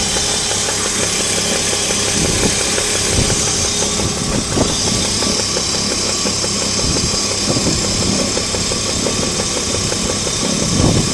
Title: Alpina Roadster - engine knocking gets louder